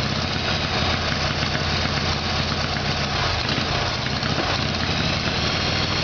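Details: Harley-Davidson Evolution Sportster, rear cylinder was not firing: uneven lumpy V-twin idle that stumbles and wavers midway; rough running from carburetor fault, before new iridium plugs and timing.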